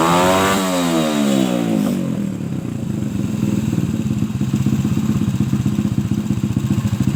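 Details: Suzuki Shogun motorcycle, trail-converted, no air filter, after cleaning a clogged carburetor that hesitated on throttle and adjusting the air screw: rises cleanly on throttle and drops back to a quick, even beat without bogging. Finding: normal revving.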